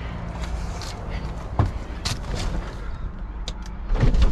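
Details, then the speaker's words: BMW E93 335i convertible, DCT donor car, retractable hardtop lowering: low even pump hum with a few soft clunks as the panels move; mechanism surprisingly quiet and works. Normal convertible roof operation. "hey holy that's loud oh it's quiet actually the mechanism really quiet [Music] whoa the roof works huh"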